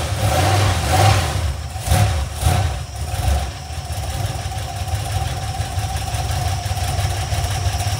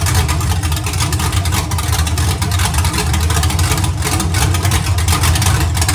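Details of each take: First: Iron 5.3 LS LM7 V8, believed 2002–2003, mileage unknown, likely BTR Stage 2 truck cam, on a run stand on first start; after revs settles to idle with light quick valvetrain ticking from unprimed lifters. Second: Iron 5.3 LS LM7 V8, believed 2002–2003, likely BTR Stage 2 truck cam (212/218, about 9° overlap), on a run stand with open headers; deep steady rumble, lope gone once revved, no knocks or ticks, healthy.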